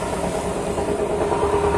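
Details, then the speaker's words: Honda Vario 125 scooter pushed with the engine off, rear wheel turning: a continuous, gritty, rough rumble with a steady hum, also rough with the engine running, pointing to a rough bearing in the CVT drive. "Kalau didorong suaranya sok kasar gitu ya. Jadi, ketika roda diputar suaranya kasar sekali."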